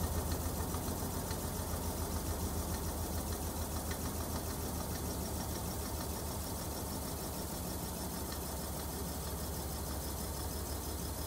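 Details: Whirlpool washer WTW5000DW1 at end of spin during dynamic braking of the drum: loud even clicking about 3.5 per second, shift actuator arm feeling feedback; worn drive clutch (splutch), replacement almost eliminated it; owner suspects failing gear-case inner shaft bearing.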